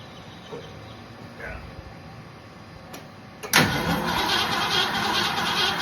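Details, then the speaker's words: 1966 Ford Mustang 289 V8, sitting for decades: the starter cranks it on the key at an even three beats a second with no fire or catch. It cranks but won't start, apparently for lack of fuel. "Good enough for me. If it wanted to fire, it would have done it if it would have had the gasoline."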